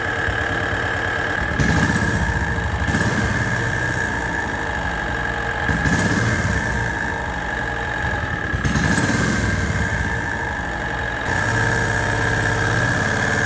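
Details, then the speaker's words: John Deere AMT 622 small engine before Lucas additive test, grey oil: steady idle with a hard, sharp loud knock about three times a second, not easing; engine knock, suspected rod knock, not confirmed. "definitely hear that sound man that is loud I'm pretty sure there isn't anything that would quiet that down"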